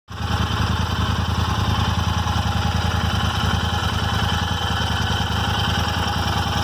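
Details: Royal Enfield Interceptor 650 twin at idle: a steady pulsing thump with a light, random, intermittent ticking over it; the source of the engine ticking is unknown.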